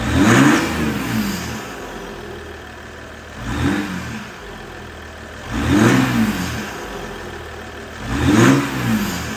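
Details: 2022 Ram EcoDiesel 3.0 diesel with aFe intake, just after installing aFe Power Blade Runner charge pipes: four quick throttle blips about 2.5 s apart, clean rise and fall with light turbo whistle; turbo heard more, normal revving.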